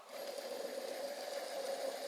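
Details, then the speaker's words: Alternator spun loose for a bench check: a steady whirring hum with a rough, gritty edge. The bearing is starting to growl, and a voltage regulator fault is also suspected. "Possivelmente o problema de regulador de voltagem um rolamento também já tá roncando"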